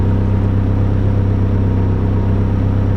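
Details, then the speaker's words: E85-fueled engine with VVT table set to zero cam angle: catches and settles straight into a smooth, steady idle with no hunting; VVT stays locked at zero through startup and idle. "it just stays locked out at zero during the whole startup and idle so it is not jumping around at all"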